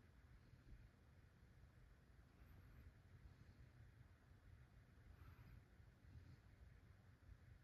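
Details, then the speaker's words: 1978 Dayton/Lasko/Sanyo 56-inch ceiling fan with bearings freshly replaced that day, heard close to the motor: soft steady rumble of air and motor, no bearing grind, click or squeal. "yeah for bring this right up to the motor you can't even hear the bearings they're that good at this point in time at least um yeah"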